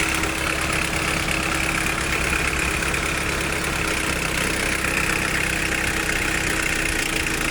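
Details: 1991 Nissan Primera P10, GA16DS carburettor engine, 97 hp, with a history of carb cold-start air-valve problems and a botched carb repair: idle with a fine, loose, uneven metallic ticking rattle; bad timing chain suspected.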